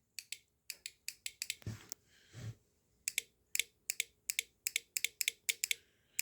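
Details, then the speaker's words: Automotive relay for military trucks, bench-tested with a battery across terminals 85 and 86: sharp, dry clicks a few per second, no buzz or chatter; relay switches cleanly. "So we're going to go across the relay and this is just like a switch in your house. You're going to hear it click."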